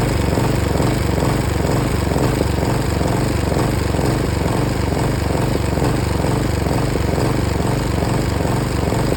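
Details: Hyft60sp mower running with an uneven, stumbling beat at roughly two pulses a second and regular dropouts in the firing; engine misfire.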